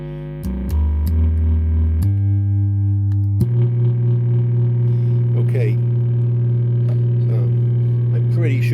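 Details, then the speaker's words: Fender Hot Rod Deluxe amp fed a signal generator tone hums and distorts, with a coarse buzz pulsing in and out at 50 cycles; a capacitance substitution test confirmed the failing HT smoothing filter capacitor. "it sounds pretty awful and you might be able to hear that at 50 Cycles it's uh just running in and out of phase"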